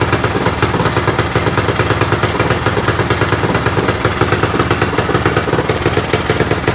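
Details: Predator small engine (open class) on first warm-up after installing an upgraded cylinder head with strong CFM and matched camshaft; quick, even exhaust pulses at steady idle, no knocking or misses, sounding healthy after the work.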